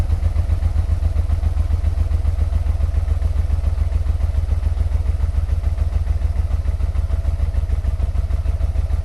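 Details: 1986 Venture Royale 1300 with 86,000 km, first start after sitting 7 years on old fuel and oil. Heavy even low thumping, three or four beats a second, at idle; owner blames 7-year-old oil for the knocking, cause unconfirmed.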